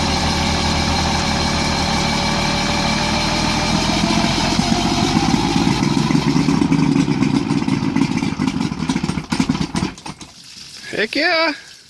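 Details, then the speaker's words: Mercury 1350 two-stroke outboard on 1971 Marlin boat, first start in over 20 years after pumping fuel; crisp burble settles to a steady idle for about ten seconds then shuts down; normal idle. "it's gonna go man those things sound sweet"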